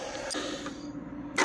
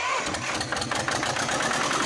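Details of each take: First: 1979 Lister ST2 twin diesel being revived after injector bleeding. An uneven, lopey thump with only every other beat firing; one side is squirting fuel and the other likely needs more bleeding. Running on one cylinder. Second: 1979 Lister ST2 twin diesel from a light tower, after bleeding the fuel system, fitting a filter, backing off the throttle and refitting the rocker covers. It catches and settles into a steady, even beat with no misses; it may need more throttle. Normal idle.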